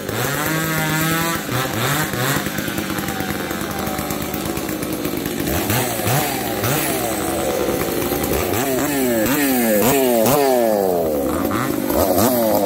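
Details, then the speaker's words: Two chainsaws, a 366 and a 70-class saw: surging and sagging under cut, revs hunting with popping. The 366 runs lean and the other swings lean and rich. Both refuse to tune, and bad gas is suspected. "the 366 is lean the 70s all over the place it's lean it's rich it's popping and farting"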